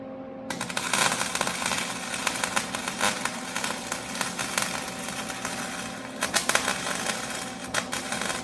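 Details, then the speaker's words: MIG welding onto a bolt after turning the heat down one notch and the wire speed down from too fast to about 2.5. An even crackle with brief pops, no heavy spatter or stalling: a correct weld sound. "that sounds pretty good, just the way it sounds."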